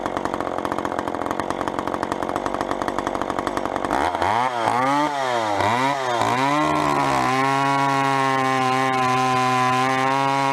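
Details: Vintage chainsaw, unknown when last run, chain a little dull, cutting a 14-inch piece of wood: steady two-stroke buzz, a few quick revs, then a clean, even high scream; pulls strongly, normal running under load.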